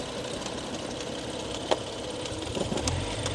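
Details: 2016 BMW M135i with a stage 2 remap, engine failed after a car meet: quiet, uneven idle that stumbles and sags with loose irregular knocks, near stalling; owner suspects bent cams, no warning lights.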